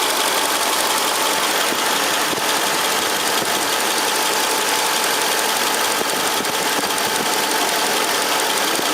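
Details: 2003 Mercedes CL55 AMG at first start after replacing the tandem power steering pump with a power-steering-only pump and refitting both belts: smooth steady idle with a bright hiss, no knocks or belt squeal; healthy.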